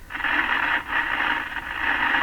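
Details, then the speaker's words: Philco Model 25 tube radio, after replacing its last wax capacitors, powered at about 100 volts: a rough scratchy hiss that swells and dips as the volume knob turns, crackling through the audio. The dirty volume control needs cleaning. "that's a new one [Laughter] is that due to the volume"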